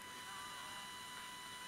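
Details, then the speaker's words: Cheap modern SDR radio: steady thin whine near 1 kHz with fainter higher tones at low volume on AM, also slightly on FM. "There's a whine on low volumes. That's not so good."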